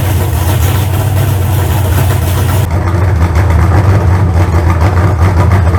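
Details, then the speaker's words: Freshly built 388 small-block Chevy on a run stand, used heads and intake from a 406, warmed to about 160 degrees: deep, loud steady V8 idle with no knocks or ticks, good oil pressure. "all right chris's motors i got all my electrical stuff took off of it she's fired up run everything seems to be fine so good oil pressure got it up to about 160 degrees"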